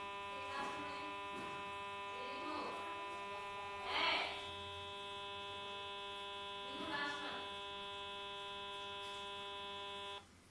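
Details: Samsung J2 phone right after disconnecting from a call: a thin, constant-pitch electrical buzz holds for about ten seconds, then cuts off abruptly; cause unknown.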